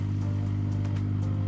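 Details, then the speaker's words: MSpa Alpine Delight inflatable whirlpool with filter and heater running, set to 40 °C: steady even low hum without rattles, surges or grinding; filter pump running normally. "You can hear it: it's humming here. The filter is running and the heating is running too."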